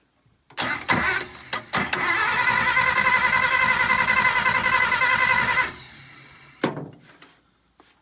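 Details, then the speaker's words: 1951 Pontiac Chieftain straight six, first start attempt in 25-30 years: starter grinds the engine over evenly for several seconds without firing; ignition points suspected of not sparking. "I'm just gonna open up and close the points see if it's creating a spark if it's not the points are probably"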